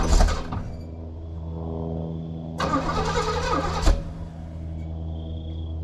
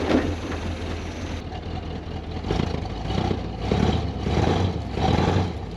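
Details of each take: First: 1968 Pontiac Grand Prix big-block V8, first start after years sitting: catches after cranking, idles lumpy with a stumbling uneven beat and rough revs; misfire from plug wires 5 and 7 crossed. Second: 1968 Pontiac Grand Prix big-block V8 after swapped plug wires 5 and 7 were corrected and timing set: idles with clean throttle blips, no stumble, firing evenly; run briefly since there's no coolant and the water pump is broken.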